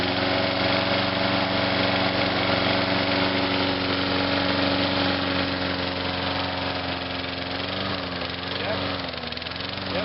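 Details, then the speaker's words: 2003 Huskee by MTD 22" self-propelled mower run dry for winter storage, about 10 minutes in: even mid-pitched run that slows, sags and hunts near the end; surging from fuel starvation as it runs out of gas. "Alright, so this thing's been running for about 10 minutes and it sounds like she's getting ready to die. At least I hope. Yeah, the engine's starting to slow down now. Yeah, she's fixing to run out."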